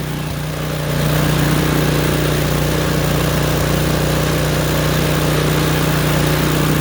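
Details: Craftsman snowblower small petrol engine, start on choke: ran rough and popping until choke moved one click at a time toward full run; now steady even drone, no popping or misfires.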